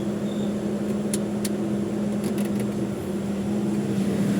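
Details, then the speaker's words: Toyota Revo 2.0 with the aircon running, after tightening the alternator belt tensioner, with the aircon tensioner pulley identified as the squeak source: steady low engine drone with no squeak or chirp from the belts. "Ayun nga, tensioner pulley nga ng aircon. Okay na, naka-aircon yan. Wala nang ingay."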